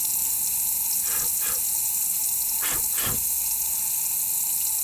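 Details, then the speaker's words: VW TDI PD used engine, cylinder 1 leak-down test with valves closed: steady hiss of compressed air with bursts of spray blowing back out the exhaust port; heavy leakage past the exhaust valve, none at crankcase or intake. "If it were an exhaust valve problem, you would hear air coming out of the exhaust port, and I can hear air coming out of that exhaust port."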